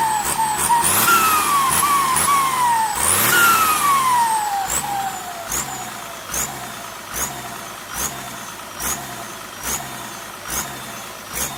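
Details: SK200-3 AR42 turbo: shrill whistle climbs with each rev and slides down as engine drops, with hiss behind; turbo whistle, cause unknown.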